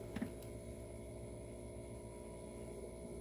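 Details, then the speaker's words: Diesel heater in a Sprinter camper van during startup: single soft tap over a steady low hum from the fuel pump under the vehicle, drawing from the vehicle tank, pulsing normally every few seconds. "I hear that tapping sound that's the fuel pump underneath the vehicle"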